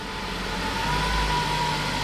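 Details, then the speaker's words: Ford Focus MK3 (2011–2017) with a replacement Duratec engine, first start after the swap: fires right up into a steady, even idle with a smooth low hum and no knocks or misses; normal idle. "We're going to go ahead and start this thing. See what happens. Wish us luck. Oh, I'm nervous. Listen to that. Man, she purrs."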